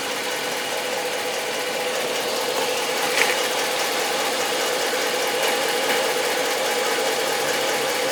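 Near idle, a fast, loose ticking about four per second sits over the engine hum, with no clear cause for the noise.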